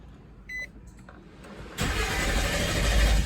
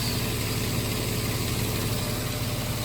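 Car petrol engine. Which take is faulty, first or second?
first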